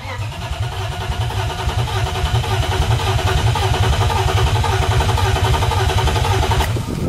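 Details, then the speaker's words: BMW E36 with swapped-in refreshed M52 inline-six, before first start: coils unplugged so the engine won't fire; steady, even starter cranking with a regular chug and no firing, spinning over cleanly to build oil pressure. Normal cranking. "it doesn't de crank so let's crank it and get some oil"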